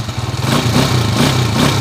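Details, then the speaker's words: Honda TMX125 Alpha after repairing a timing gear "meow" whine and replacing the clutch damper. Rev test: the engine revs up and down cleanly with a crisp exhaust and no whine left from the timing gears; a normal rev, fixed. "Yung issue nito, timing gear, may meow-meow, may pusa-pusa, at nagpalit na rin tayo ng clutch damper. Yan. Okay na. O-rev natin, pakinggan natin kung may meow-meow pa."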